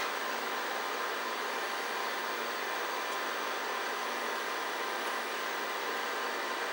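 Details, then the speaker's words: DTK Data 1000 XT clone computer, its ST225 hard drive humming along nicely: steady even whir with faint high whine, no clicks, scraping or seek chatter; normal hard drive running. "Um but it's sitting there humming along just nicely."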